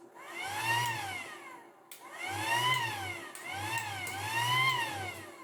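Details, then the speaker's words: Battery-powered pool pump after the connection was sprayed and lubricated, previously working only intermittently: motor whirrs up and falls away in repeated runs, catching cleanly each time with no stutter; now runs normally every time. "Seems to be working every time now. I'm going to say problem is solved."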